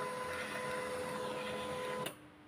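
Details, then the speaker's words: Canon LBP 2900 laser printer showing Scanner Error, unused over two years and possibly dropped: pickup mechanism whirs steadily then stops; the pickup roller turns but paper only lifts slightly and drops back, sheet won't feed. "khay đá giấy có đá Các bạn thấy không nhưng mà giấy nó không có lên được khay đá giấy có đá nhưng mà khay đá không có lên hết được nó lên có chớm chớm một tí rồi nó xuống"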